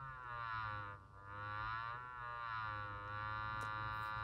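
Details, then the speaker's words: Mid-1930s Knight 98AE-184K receiver's 6-inch electrodynamic loudspeaker driven by a sine wave just over 100 Hz: a buzzy papery rattle rising toward 200 Hz from a loose cone at the voice coil. "hey guys as you can hear the rattle coming out of the six inch electrodynamic loudspeaker from the night receiver from the mid-1930s"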